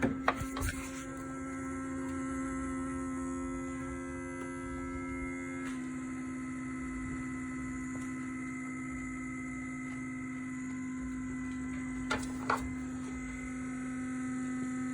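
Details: 2013 Nissan Altima, engine off with lights still on: a steady low electrical hum with faint clicks under the driver-side hood continues after shutdown, then stops; source not yet found, cooling system ruled out.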